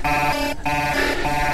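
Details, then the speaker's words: Gotway MSP 18-inch electric unicycle climbing a steep overheat-test hill: a harsh, buzzy two-tone alarm repeats roughly every half second, steady and loud, as the overheat temperature warning sounds. "that's my temperature alarm on"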